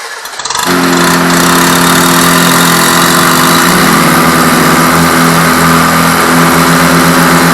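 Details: Rebuilt air-cooled Volkswagen Beetle engine, first start for cam break-in (planned 20 minutes at 2500 rpm): fires within a second and settles into a steady even fast idle, no knocks or misses; healthy.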